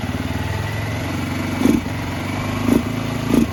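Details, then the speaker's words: Barn-find 2005 Suzuki GZ250, 950 miles, first start on starting fluid, warming up: uneven single-cylinder beat that stumbles and surges with each throttle blip; suspected carburetor trouble, needs more choke. "I think we got some carburetor troubles. That's alright. We heard it run. Need a little bit more choke."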